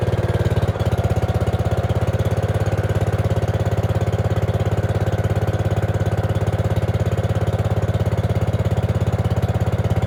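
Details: Gravely 5665 freshly fitted with a China carburetor (after a 15hp carb was tried), air cleaner on: it started right away with a fast, steady single-cylinder putter and no obvious stumble, but only keeps running with partial choke. A lean mixture is suspected, not confirmed.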